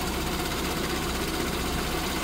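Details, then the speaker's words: SPI Mini, petrol, engine warm after running a while, inlet air 34, idle dropping, sensors working properly; even steady idle with smooth low rumble, no knocks or misses; normal warm idle. "the car has been running for a bit now you can see the idles starting to drop down we've got some temperature in this engine now"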